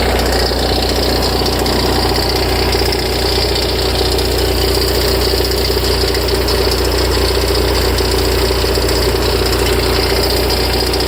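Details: Ferrari F355: tens of seconds after start, uneven ticking knock about 95 a minute from the front of the engine at idle; idle steadies when it stops; louder and longer after long disuse; source unclear.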